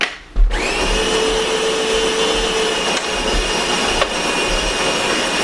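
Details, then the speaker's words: Solis Master 5000 espresso machine: steady even burr grinder whine, then two short pops as coffee is tamped; normal operation. "So what you hear is the grinder grinding, and then you'll hear a couple pop pop as it packs the coffee."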